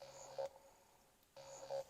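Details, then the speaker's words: BMW ATC300 xDrive transfer case actuator motor driven by a low-side FET at 19.4% PWM duty cycle, about 70 Hz. Two short bursts of a steady low electric buzz as it still indexes to full lock. "you hear it buzzing um but you can hear that it's indexing all the way to full lock"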